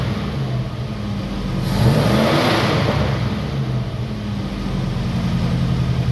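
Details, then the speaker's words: 1962 Oldsmobile F85, 230 all-aluminum engine, all original except an added Holley carb and choke, with a new coil, just started before timing and points are set: even steady running with clean rev rise and fall, no knocks or misses; runs smoothly. "Just let it run for a minute. Runs nice and smooth."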